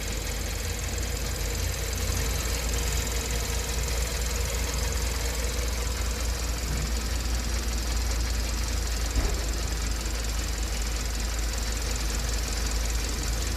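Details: 2012 Kia K7 2.4 GDI Theta II petrol after engine rebore and rebuild for broken crank bearings and a failed oil pump, with four coils and plugs replaced: steady, even, smooth idle, quieter, vibration gone; normal.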